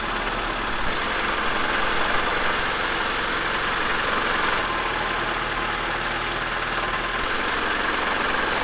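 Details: Honda Civic EF first start after engine installation with new clutch, primed and checked for leaks: even idle with steady low beat and some top-end hiss, holds speed with no knocks or stumbles; healthy.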